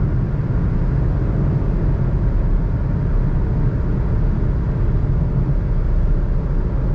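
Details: 2021 Suzuki Alto VXR/VXL 660cc driven at high rpm on highway around 120 km/h: steady deep drone with heavy road rumble, no knocks or uneven beats; engine running normally.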